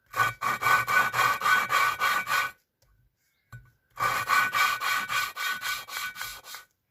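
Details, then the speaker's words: VW 2.0 16v 9A cylinder head, second coarse-paste lapping of valve, head has sat in water: loud gritty rasping about four strokes a second in two bursts; valve still not seated, needs more lapping. "Right, and you'll hear it's loud again, so I'll just put it down. And that's loud, so we'll do it again."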